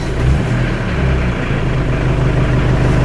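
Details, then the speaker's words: 1986 Ford Escort diesel warm restart after fuel system repairs (filters) for stalling and no-start; short catch then deep even clatter that settles quickly with little hesitation: normal warm start. "see what happens here if I get my hands stuck in the steering wheel not too much hesitation"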